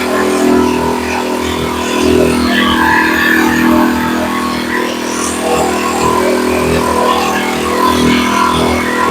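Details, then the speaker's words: Earthquake Versa tiller petrol engine after sitting a whole year with fuel in it, first started: slow up-and-down idle hunting harmonic because the idle was set below spec. "you could hear that harmonic when I first started it and you could see it was idling up and down and up and down and the reason it was doing that was the idle was set completely out"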